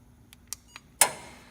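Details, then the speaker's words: Gas logs turned on by remote with the valve in the remote position: a few faint clicks, then a sharp valve snap and a steady gas hiss that fades as the flames light; normal valve opening and gas flow. "You hear the click, you hear the gas, and wait for it, there we go."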